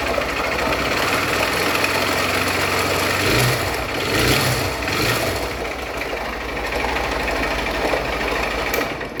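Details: Honda Bros 160 motorcycle that had a completely dead battery: loud irregular clattering knock over harsh rattly running; engine thought seized, with the battery drained by forced starting, suspected, not confirmed.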